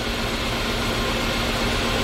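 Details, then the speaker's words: 2015 Kia Soul 1.6 L idling, check engine light on, engine shaking and dying at stops: low slightly uneven hum, no clear stumble in this stretch; scan tool shows cylinder 3 misfiring, faulty ignition coil. "let's go to misfire data let's see what cylinder is going to misfire now right here look at the misfire account now cylinder 3 is misfiring cylinder 3 is misfiring now so the problem is the coil"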